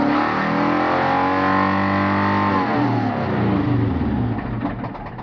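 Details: 1991 Subaru Legacy turbo AWD, after fixing major oil loss from a blocked crankcase ventilation hose; starts and revs cleanly, then faint ticking knock as revs fall; suspected bad bearings, rebuild expected.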